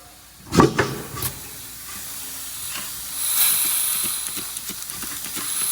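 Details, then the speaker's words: Wanderlodge bus with a Detroit 6V92TA, brakes applied: sharp hissing bursts of escaping air, then a steady hiss, from an air brake leak. "yep the shutdown solenoid this brickhouse is leaking too you couldn't hear that one because the other one was leaking hit the brakes"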